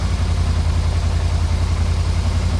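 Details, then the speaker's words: 1991 Yamaha Venture Royale V4 motorcycle, first start, in neutral on full choke: steady, even low thrum with smooth regular firing and no misses; idles cleanly while warming up. "no way no way are you kidding me that's funny it runs runs good"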